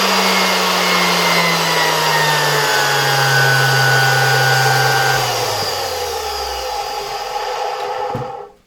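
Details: Zelmer 01A vacuum cleaner (1973), type 34 motor removed from housing, bench run at low voltage via regulator: smooth, steady whir without rubbing or rattle, pitch sagging evenly then winding down quietly; motor healthy.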